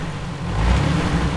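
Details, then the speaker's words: 2006 Jeep Wrangler TJ Rubicon with NSG370 six-speed, accelerating in third gear: deep rumbling growl rising with engine; transmission confirmed as source, also loud coasting in third, slated for rebuild. "okay accelerate oh yeah you can hear it it growls when you yup yup"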